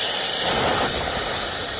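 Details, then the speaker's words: Well pressure tank being aired up by compressor after freeze damage and low pressure: steady sharp hiss of air escaping into the plumbing; holed bladder lets air pass through, tank bad. "that means we have a bad bladder there is a hole in the bladder big enough to allow the air to go straight through into the plumbing system"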